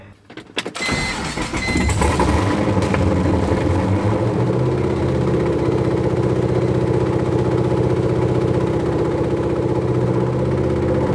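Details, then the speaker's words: BMW E46 with LS3 V8 swap, first start, header smoking: catches quickly after short crank and settles into a steady, even, deep idle with no knocks or misses; normal running. "holy [ __ ] works that's the header smoking guys what can I say it turned on"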